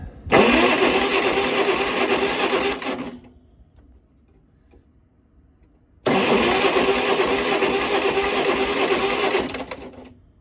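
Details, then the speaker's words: Yazoo lawn mower engine cranking after the magneto was refitted at top dead center: two three-second bursts of fast, even chugging that never catch. Ignition timing is off; owner plans to retard it by a tooth. "and it's still doing the same thing I'm going to try retarding of the tooth there"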